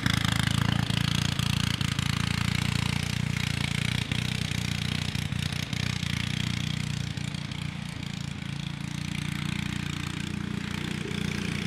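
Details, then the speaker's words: Yerf Dog off-road go kart with Subaru Robin 9hp engine, just swapped to 26mm Mikuni carb, choke on, warming up: uneven idle, spinning and sputtering, hunting and stumbling; acts lean. "so it's spinning and sputtering acting like it's a lean"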